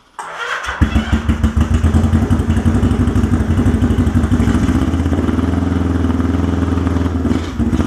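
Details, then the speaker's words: Honda CB350 rebuild, first start-up, first heat cycle, no air filters: catches after a couple of cranks into a quick, slightly uneven beat; running super lean, likely needs jets two or three sizes up. "we put the air filters on because I could feel it's super lean we're probably going to have to go up two or three jet sizes yeah but for now I just threw them on that'll richen it up a little bit"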